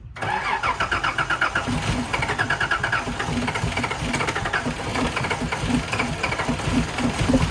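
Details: Nissan 300ZX (Z31) after a fuel pump replacement, first start. Brief cranking, then it catches and settles into a steady, even idle with no misses or knocks; normal start and idle.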